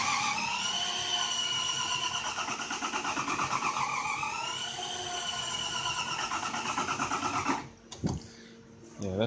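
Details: Toyota Camry 1MZ-FE V6 cranking at roughly three lumpy beats per second with uneven compression pulses that come in and out, and weak vacuum. The owner first suspected a blown head gasket or broken cams; the timing belt had broken or jumped.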